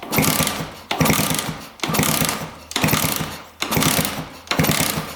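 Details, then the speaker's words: 1999 Suzuki RM125 two-stroke dirt bike that stopped running: six fast kick-over strokes, each a smooth clean whoosh with no metallic knock, so the rod bearing and crank are likely fine. "I don't hear any knocking, so I don't think it is the rod bearing."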